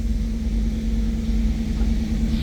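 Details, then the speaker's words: 1991 "Bird" with 60,000 original miles, cold start: low, even rumble with a steady hum on top and no ticks or misfires; healthy cold idle. "We'll go ahead and fire it. Up and running as it should."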